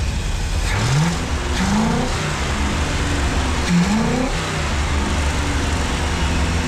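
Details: 1965 Ford 289 4-barrel V8 for a 1955 Ford pickup, now with exhaust fitted, warming toward about 180°F: revs rise and fall with throttle blips and never settle to a steady idle; a carburetor rebuild kit is on order.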